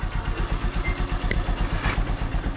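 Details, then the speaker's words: Honda Supremo single-cylinder motorcycle warming up after a cold choke start with choke returned: steady, even thump at idle with no knocks or rattles, very quiet; normal warm-up idle. "so Ito pala yung andar ng aking Honda Supremo napakatahimik"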